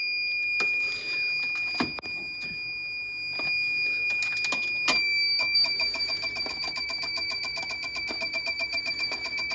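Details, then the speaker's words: Newly replaced sump pump's alarm keeps sounding, shrill and steady with fast regular clicking about four per second, even after unplugging; pressing reset does nothing and the cause is unclear. "Let's see if we're still beep beeping. Yep, I hear it. Yep. We're still beep beeping."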